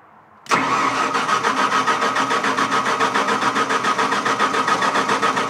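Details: Onan generator being started to test three-phase leg voltage, wired straight to the generator with no breaker: steady rhythmic cranking at about 3.5 pulses a second that does not catch here. It eventually ran, giving 210 V, likely a 208Y configuration.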